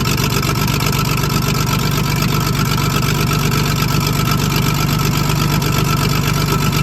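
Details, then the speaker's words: Diesel loading shovel abandoned 18 years, started on ether: a steady idle with a regular lumpy beat. One valve is hanging slightly open and not seating (not hitting the piston), so it runs on five cylinders; coolant is also leaking. "yeah you can hear that valve is open it's obviously not a huge amount because it's not colliding with the Piston um but it's enough that it's not seating correctly"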